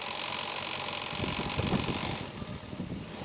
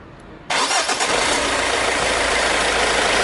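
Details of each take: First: Running engine: irregular light rattling and ticking that comes and goes. The alternator's decoupler pulley (aluminium with a rubber-and-aluminium clutch inside) has broken and has play when rocked; it must be replaced. Alternator decoupler pulley failure. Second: Engine running with the accessory belt removed: starts at once and idles evenly, no knock or squeal. The noise is therefore from the AC compressor, alternator or tensioner pulley bearing; a broken aluminium-rubber damper pulley was found earlier. Normal idle.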